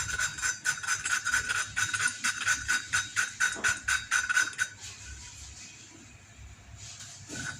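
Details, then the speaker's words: Motorcycle cylinder head overhaul for weak compression, valve being lapped by hand with grinding paste: gritty scraping rising and falling about twice a second with each twist; valve and seat still rough, keep lapping until smooth. "Nah, ini suaranya masih kasar. Lanjutkan terus sampai suaranya halus."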